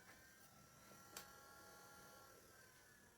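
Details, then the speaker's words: PC booting to BIOS after fitting a PCIe x1 to 4x USB3 card: steady high fan whir with faint uneven ticking and a sharp click as something catches the graphics card fan blades. "Hang on. Sounds like something's catching on the fan now."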